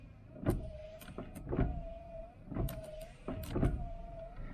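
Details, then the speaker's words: El Camino wipers, possibly rewired: motor hum with a thunk at each sweep end, about once a second, keeps cycling after switch-off; only ignition off or pulling a wire stops it. Cause unconfirmed. "It's just staying on. So basically, yeah, that's what it was doing the other day. So basically, it's not, it's just on."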